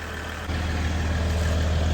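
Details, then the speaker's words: 2022 Ram EcoDiesel 3.0 diesel with aFe intake, just after installing aFe Power Blade Runner charge pipes: fires up into a steady low idle, then begins to rev; turbo heard a bit more, normal diesel idle. "from what I can hear sounds like you can hear the turbo a little bit more which is good any any more noi"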